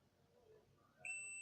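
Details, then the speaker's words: Multimeter continuity test on a jumper wire with the meter held near the mic: quiet room, then a steady high beep that holds, showing the wire is intact; a cut wire would give no beep. "ये देखिए इसका मतलब इसका मतलब हमारा wire जो है वो एकदम ठीक है। अगर ये वायर कहीं कट होता तो ये बीप नहीं बचता।"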